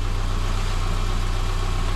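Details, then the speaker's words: 2010 Subaru Impreza with a rebuilt used EJ253 engine (new rings, bearings, gaskets), already heat-cycled, running after final assembly: smooth, even idle with a steady low hum, no knocks, ticks or misses. Runs like a sewing machine, healthy. "this sounds like a sewing machine all right back her out"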